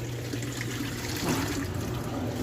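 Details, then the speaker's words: Electrolux LTC10 10 kg washing machine on spin after replacing a noisy drain pump: only gentle water trickling over a faint low hum with no rattle or grinding; the noise is gone and the problem is solved. "barulho zero, problema resolvido."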